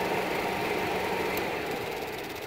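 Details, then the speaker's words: 1991-95 Ford Escort LX electric cooling fan run by removing the PCM ground to its relay: even, airy rush with no rubbing or rattle; fan motor works properly. "so what happens if we do the American thing send in the liberation force and deprive this relay of this ground so I'm really in a community I've already set this up but if we take away this input and comes on oh that's a good sign"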